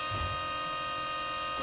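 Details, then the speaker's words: BMW E31 840Ci EV conversion running an Opel Zafira electric power steering pump, drawing about 9 amps; steady high electric whir rising slightly as it charges the brake accumulator after braking; normal, ample flow and pressure, steering feels factory. "So I'm very happy that pump can actually supply sufficient flow and pressure to run our power steering setup."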